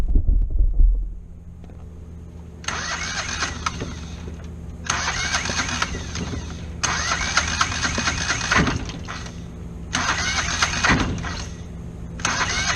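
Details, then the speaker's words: Kohler 725cc V-twin mud-motor engine with a thrown rod on cylinder one, cranking on its one good cylinder: repeated laboring two-second bursts with no start, firing too early; timing probably off. "the engine was like trying to fire the one good cylinder too early so figured out the timing was probably off"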